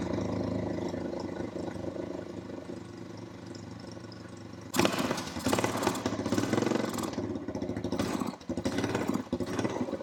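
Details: Honda TRX350 ATV after carburetor cleaning and refitting a forgotten part. Idles unevenly, then stumbles and cuts out instead of revving. Owner suspects a needed valve adjustment or lack of back pressure without the stock air filter. Runs poorly, won't rev.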